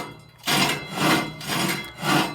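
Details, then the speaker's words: Carrier HVAC blower removed from its housing and turned by hand: rough, rasping scrapes in slow surges as the bottom of the squirrel-cage wheel touches the housing, bending the blade edges. "the bottom of the squirrel cage is actually touching the bottom of the drum"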